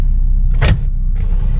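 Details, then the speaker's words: 2001 Suzuki Baleno DX manual sedan, engine running: two short whirring bursts of a power window motor over the engine hum, coarse and uneven; left window fails, left rear works; rough power window motor or regulator noise. "masih bisa Man suaranya agak kasar yang kiri ooh kiri enggak bisa yang kiri belakang bisa"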